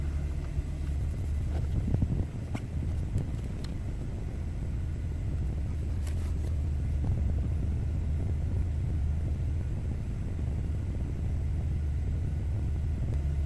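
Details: Warm BMW F30 (about 80-90°) idling during the onboard engine oil level measurement, which raises engine speed slightly: smooth, even low rumble with no knocks or misses and steady speed; healthy, and the oil level reads at max.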